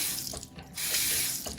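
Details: Two-handle Delta bathroom faucet, hot side: steady hiss of running water with no squeak as the handle turns, unlike the cold side, whose worn seal squeaks and is hard to turn.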